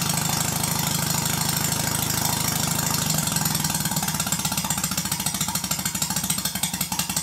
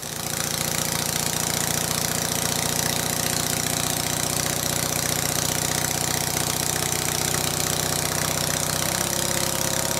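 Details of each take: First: Stuart Sirius steam engine run on compressed air slowly: crisp evenly spaced exhaust beats, no knocks, easing slower; healthy, well-timed engine. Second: Stuart Sirius steam engine (green), warm, speed increased: fast busy clatter with loud knock each stroke, far noisier than the red engine; owner suspects valve timing slightly off.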